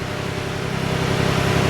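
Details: 2011 Ford F-150 4x4 3.7L V6 at idle after flywheel replacement for intermittent starter grind (damaged flywheel teeth); steady, even low rumble with no grind, knock or miss, idling smoothly and healthily.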